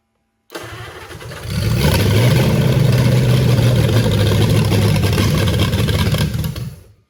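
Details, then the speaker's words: 1927 Roadster flathead V8 on a temporary rubber fuel line teed to the carbs: cranks, catches and runs lumpy and uneven, never settling; the float bowls probably aren't full yet, so fuel is likely short. "I think we're just probably run. The blows aren't full yet."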